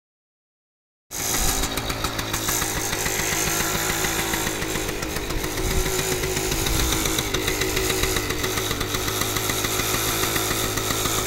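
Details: Kawasaki KV75 first startup after sitting many years and fixing a blown head gasket: it fires up quickly into a quick, even single-cylinder putter that holds steady without stumbling. It starts easily and runs great.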